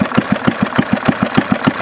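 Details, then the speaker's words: Homemade hit-and-miss conversion of a 1951 Briggs & Stratton 6S engine with idle turned down: even unhurried thumping about six or seven beats a second, no misses or knocks; normal slow idle. "Mike turned the idle down boy this thing's paring like a kitten it's going to make a nice hitting Miss Mike it's almost run slow enough now yeah look it sounds like hit Miss"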